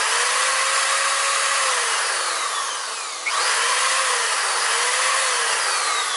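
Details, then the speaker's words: Electric drill, an inductive load, run at full trigger from a Reliable Electric 800W pure sine inverter with a momentary high current draw: a high, steady motor whine at even speed with only slight wavering. The inverter handles it with no problem. "And momentarily it's drawing a lot of current, but nevertheless this thing has no problem at all."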